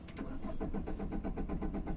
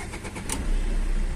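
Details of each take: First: Tata Vista diesel with starting problem and fault code P0193 fuel rail pressure low: starter churns in a fast, even rhythm for a long time before the engine finally catches; long cranking from low rail pressure, not yet solved. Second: Tata Vista diesel with fault code P0193 (low fuel rail pressure) and a starting problem, restarted after fitting a filter and fixing a pressure pump fault: a short crank, then the engine catches promptly and settles into a steady, even idle.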